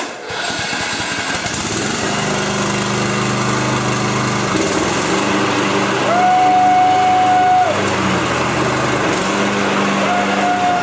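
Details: Craftsman/Poulan-type 42-inch riding mower after fixing a sticking cable-operated deck engagement, deck checked for rubbing: steady, even engine note at constant speed with no knocking, rubbing or scraping; normal running.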